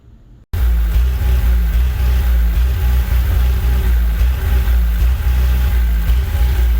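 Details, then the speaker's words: 35 kW Briggs & Stratton generator with GM 3.0 L four-cylinder: lumpy, stumbling rough idle right after a cold start, runs fine if restarted; eventually traced to the computer control panel board. "so you can see from the video that it's running really rough on idle and the thing about it is uh it's interesting it's it's when it starts up it's very rough and i think it's when it's cold that's the problem"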